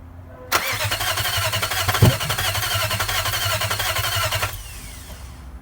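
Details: Nissan '03 VK45DE swapped in for an '02 with blown head gasket and spun bearing: steady fast cranking about four seconds with one small pop, never catches; fuel pump not heard priming at key-on; crank, no start.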